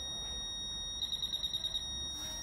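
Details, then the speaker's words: Fisher F-Pulse Air pinpointer in an air test: a high beep chattering in about eight quick pulses; it alerts over a broad surface, so at this distance it cannot tell exactly where the object is. "et bien en fait finalement il sait pas où se trouve l'objet il peut se trouver dans toute cette surface là"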